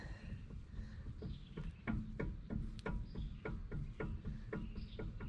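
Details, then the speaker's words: Mercedes E320 W211 front hub about 50 miles after wheel bearing replacement: sharp uneven clicks about three a second when rocked by hand; play as the new bearings seated. "i wanted to show you guys that there's actually a little bit of play in it you can hear that clicking"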